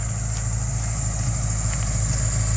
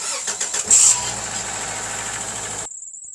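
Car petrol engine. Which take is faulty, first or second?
first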